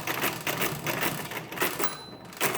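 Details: Rebuilt Marchant KE mechanical calculator working a division via repeated add-back cycles with its one-way ratchet. Quick bursts of regular clattering ratchet clicks, each cycle running cleanly. Normal calculating cycle.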